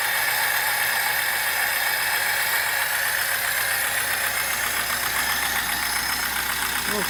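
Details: VAZ 2106, about 1975, 1300 cc petrol engine, 4-speed, electronic ignition, idling in neutral: a light, fairly even top-end tapping of about four knocks a second from the valvetrain, from a worn camshaft and rockers.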